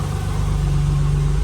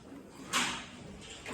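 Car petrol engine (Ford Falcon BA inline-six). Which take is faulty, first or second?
second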